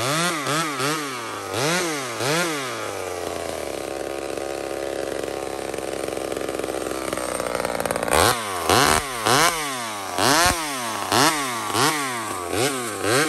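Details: Small Homelite two-stroke chainsaw ripping maple: it blips up, settles to a steady, even bog through the cut, then revs cleanly between cuts. Normal, healthy cutting.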